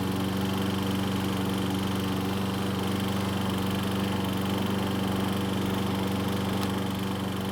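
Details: Troy-Bilt self-propelled mower running in gear: steady engine hum with fast rattling chatter from the recoil starter, pawls catching the cup. It went away once the rope was released from the handlebar guide; flex of the lower portion is suspected.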